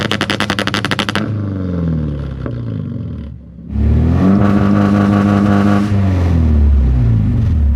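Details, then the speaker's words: Supercharged KA-swapped Nissan 240SX on coil-on-plug ignition, tested after the fix: rapid popping stutter at about four per second on the limiter, then clean revving. The car was already obnoxious and is now more so. Launch control works. "that's pretty obnoxious as if it wasn't obnoxious enough before"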